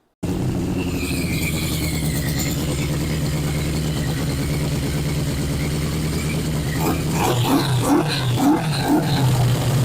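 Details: 1981 Yamaha Maxim XJ650 four-cylinder, off the road for 20 years, running again after revival: steady, even idle picking up cleanly into a few throttle blips. Healthy running, though carb diaphragms are still to do.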